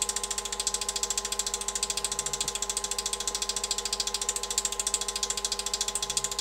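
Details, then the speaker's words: Lathe at full power with sandpaper mounted in the chuck, recorded on a smartphone before a speed-control test: fast, very even flapping ticks about three and a half a second over a steady motor hum; normal running. "The lathe is running and the sandpaper is flapping on here."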